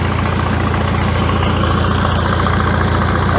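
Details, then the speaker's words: Farmall tractor after exhaust modification, gap welded: deep, even idle with steady low thump, no misses or rattles; deep sound restored as original, normal idle. "previously it's a nice deep sound and i think foreign it sounds much bigger"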